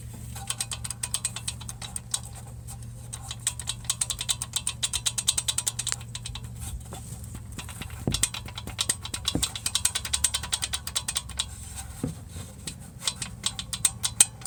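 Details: VW Golf Mk7 1.4 TSI (Korea): fast uneven metallic rattle over steady low engine hum from the turbo wastegate actuator.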